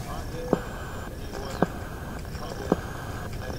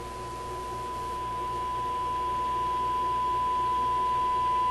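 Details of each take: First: Restored Sparton 5 tube radio after alignment, tuned on deck: sharp clicks about once a second over quiet hiss; interference owner attributes to his sleeping computer's power supply refreshing RAM, not a radio fault. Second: Sparton 5 tube radio first powered on restricted power after a change: clean, steady high tone, swelling slightly, no hum, crackle or distortion; radio works.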